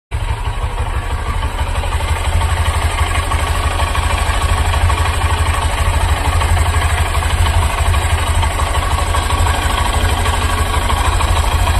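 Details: New Honda SP125 motorcycle, only one month old, idling with a heavy low thrum and rough buzzing mechanical rattle: abnormal engine noise and vibration at idle.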